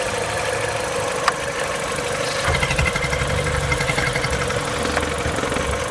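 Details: MINI with N12 engine at cold idle: steady idle with light busy ticking over the engine note and no clear knock; owner unsure whether this is normal.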